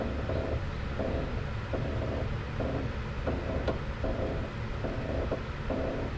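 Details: Ford S550 Mustang GT, front end: dry creak about every 0.7 s when turning the steering wheel on the ground, silent with the car in the air; slightly quieter with the top plate nut loosened; the strut top pillow ball bearing is suspected.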